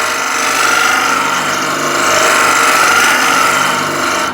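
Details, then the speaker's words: Dull woodturning scraper without a burr on spinning wood, end grain: steady dry rasp with vibration and no crisp cutting, only dust even with heavy pressure; edge is rubbing rather than cutting. "but if I just use light touch then nothing happens and I got vibration as well hope you can hear that so I'm using quite a lot of pressure to get a little bit of dust like this"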